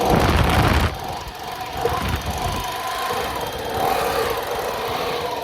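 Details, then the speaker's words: Echo PB-200 two-stroke blower, starting with spray and a little throttle: sputters unevenly, never settles and dies after a few seconds; rough running then stalling. "Almost there. Try it again. Close. Should have gave her be ready to give her some more throttle. [snorts] We're close. That's about what happened when I was coming over."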